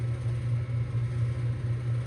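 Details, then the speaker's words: 2024 Bryant heat pump in heating mode, about a minute after first start: deep steady compressor hum with a rough buzzy rattle that fades slightly but keeps growling; rattling needs dampening, cause suspected, not confirmed. "And the rattling is fading just a little bit. What's position? Can you hear that? It's still growling though."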